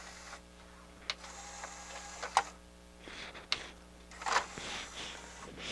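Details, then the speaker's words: Harman Kardon HK 720 CD player, tray loading mechanism reinstalled, motor not lubricated; short motor whirs with crisp clicks, tray moves quickly and freely, faster than its previous slow opening. "try a cd probably one thing i should have done is lubricated that motor but it's working pretty good now i think it's even working faster than what it was before it was coming out pretty slow"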